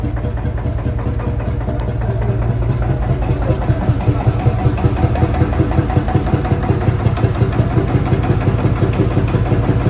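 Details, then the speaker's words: Field Marshall Series 3A single-cylinder diesel on its first start after a rebore and oversize piston, fitted after a piston ring snapped, likely from bore pitting. Slow, deep, steady thump at about three beats a second with no knock or miss; normal running, better than before. "it sounds better than it was"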